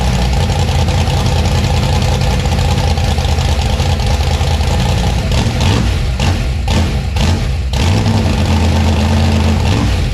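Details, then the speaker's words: 1956 gasser V8 with new 750 Holley carb and timing set: loud, deep rumble in a steady lope with crisp, instant rev blips. Clean, healthy idle and revving. "good all right that thing sounds beautiful and the throttle response is ridiculously crazy on I'm happy where it sounds good"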